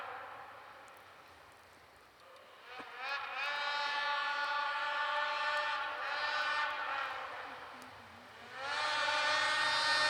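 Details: Polaris IQR 800 two-stroke snowmobile (shorty conversion) ridden through trees, turning about 8,000 rpm (owner wants 8,500): crisp howl climbing and falling cleanly, echoing, no misses or bogging; normal running.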